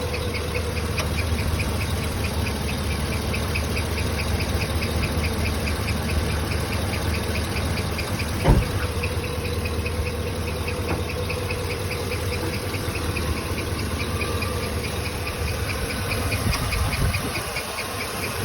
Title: 2013 2500 HD 6.0 Vortec . What is this chirp/tick noise ??